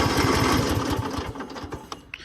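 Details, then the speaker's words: Cub Cadet lawn mower cranking: a quick chugging crank that slows and stops without the engine catching. Cranks but won't start because it is out of fuel; adding gas got it running. "yeah all it needs is some [Music] gas so that's great new guys that was all that was needed for the cupc that just needed a little gas"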